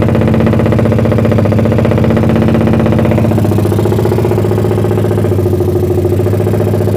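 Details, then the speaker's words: Suzuki Satria FU bored to about 177cc, lowered compression, PWK 30 carb with pilot jet 50 and main jet 150, cam timing unchanged. It kicked back when started but now idles with an unbroken, even, helicopter-like drone. "Ya intinya udah nyala ya Lur Satria FU kurang lebih 177cc nya ya Hai di Suaranya kayak gitu ya Lur"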